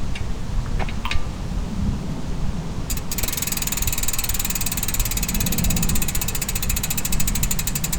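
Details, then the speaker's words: Pashley Princess rear wheel after a complete overhaul of its Sturmey-Archer AW 3-speed hub, spun freely. Crisp, rapid, even ratchet ticking after a few handling clicks; healthy freewheel operating well. "Does that not sound like a bike? One operating well."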